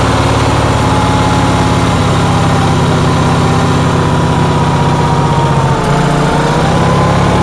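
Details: Onan generator in cold weather, with a constant, rapid hum that dips briefly near the end; it is running at an abnormally high idle, cause unknown.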